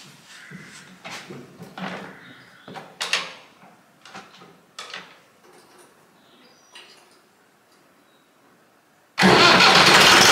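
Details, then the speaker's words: Classic Massey Ferguson 65 tractor diesel: quiet clicks and handling, then engine catches at once and settles into a loud, steady run; starts clean and sounds healthy. "so the engine sounds and runs pretty well at the moment so we'll just start it up"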